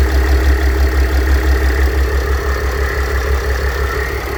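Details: Mercedes W211 with OM642 3.0 diesel at idle: steady whirring drone with faint rhythmic pulse from a worn A/C compressor bearing; replacing the bearing eliminates the noise.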